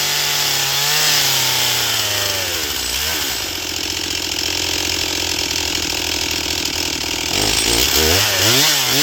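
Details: Stihl MS241 C chainsaw with computer-controlled carb, after Seafoam, dull chain, cutting pine: revs cleanly, holds a strong steady scream through the cut, drops back evenly; normal full-throttle cutting, runs great on the high side, starting still problematic.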